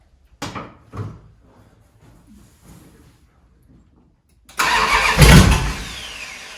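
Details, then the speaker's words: 1971 Dodge Charger Super Bee 383 Magnum V8, cold start after valley pan/intake manifold change for a suspected intake leak; two cranking bursts fail before it fires roughly, and the owner suspects the timing is off again. "Oh man, I just don't know. Sounds like she's out of time again."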